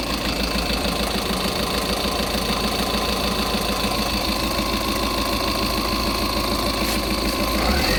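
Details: Tata Intra V30 diesel with no-start and no dashboard supply, caused by rodent-chewed wiring, after rejoining the wiring; steady diesel clatter about three beats a second, even and unbroken, normal idle.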